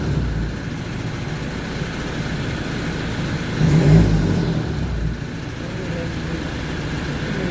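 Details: Toyota Hi-Lux, repainted after a collision, that had no crank, no start with no fault codes: steady low engine rumble with one smooth rev rising and settling back, no misses or knocks; runs normally.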